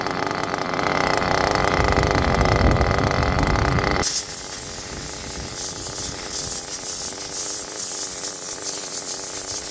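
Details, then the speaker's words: Nitro engine during break-in by the Todd Method, temperature lowered to about 121: soft, even, low steady putter at a nice normal low idle. "Nice low idle. Idle sounds good."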